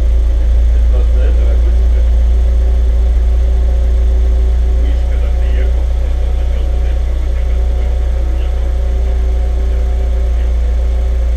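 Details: Audi TT with a self-assembled engine whose earlier knock came from two dead cylinders, after the spark plugs were replaced: a steady, even idle with a smooth low hum and no knock or stumble, running cleanly.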